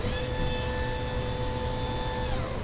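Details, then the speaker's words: Sailboat autopilot drive motor during dockside calibration, driven full port and starboard: steady hum with a thin, strained tone that droops and winds down. Port side gets 11 V versus 12.5 V starboard, suspected connection issue at the NAC. "And you can audibly hear it. It sounds like the motor is more weak so that could be a connection issue."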